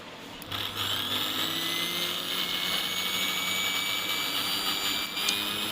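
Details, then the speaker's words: Philips Simply Silent 600W mixer grinder after repair, which previously had a stiff coupler and loud noise: smooth, steady high motor whine with no grinding or rattle. It now spins freely and quietly. "तो दोस्तों देख रहे हैं बिल्कुल free घूम रहा है। कोई आवाज नहीं है।"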